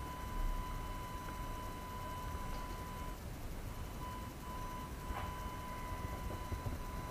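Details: AFI VS-3SG 3-axis handheld gimbal, low-cost, recorded at night with no surrounding sounds: thin, steady high whine over faint hiss; gimbal motors noisy enough to be heard in recorded video.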